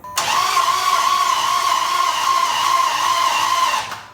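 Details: 2006 Dodge Charger no-start, cranking with the compression gauge removed: fast, even starter whirr with no compression pulses; suspected way out of time, camshaft not turning, or bent valves, likely no compression on any cylinder.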